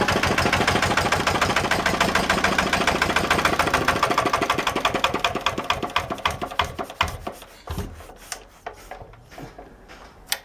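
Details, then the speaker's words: 1955 Lister LD1 single-cylinder diesel, 2 HP at 1000 rpm, before its cosmetic restoration: a steady, even thump that slowly winds down and stops, with no knocks or misses; starts fairly easily, normal running. "So that's the LD. She does run, starts fairly easy"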